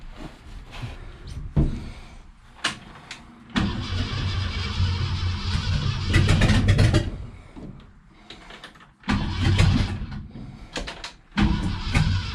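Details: Freshened 390 FE V8 in a 1966 Ford Galaxie at first start-up, after a leaking accelerator pump was tightened: lumpy, uneven idle with surges and dips between throttle blips, the engine not settling. Cause suspected, not confirmed.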